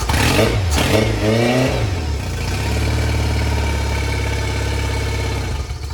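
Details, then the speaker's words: Yamaha 50HP (T50) outboard, one cylinder low on compression: after a couple of throttle blips it settles into a lumpy, stumbling idle, running on three cylinders; a misfire. "now and it sounded like it it sound like it was running on three and you red it a couple times and it sounded like it popped like it popped into Maybe forward"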